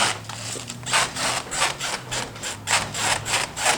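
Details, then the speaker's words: Chamberlain HD200D chain-drive garage door opener, door pushed by hand: rough scraping rubs in uneven bursts, about three a second, as loose panel insulation shifts; owner plans to glue it in place with something like liquid nails. "I'm gonna put something like some sort of or some liquid nails in there because I can move the insulation back and forth you know"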